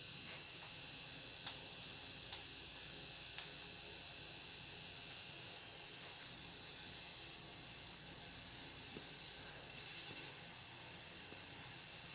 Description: This noise only occurs on 850W PSU when graphics card is under load during gaming (GTX 1080 - Reference card)